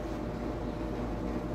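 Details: Vintage Sears Homart belt-drive window fan, 1/6 HP Craftsman motor, belt likely needing replacement, switched back to high: steady even whoosh with soft low hum, no knocking or squeal; runs smoothly.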